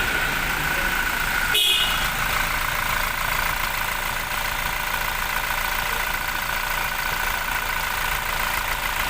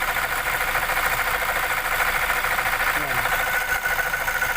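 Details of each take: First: 2017 Toyota Fortuner diesel idling smoothly after the alternator bearings were replaced; the earlier loud whine/helicopter-like noise, mistakable for turbo or internal engine fault, is gone, with no whine, rattle or grinding. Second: 2017 Toyota Fortuner diesel idling with a loud, constant rough whirring from the alternator; worn alternator bearing, only the bearing needs replacing.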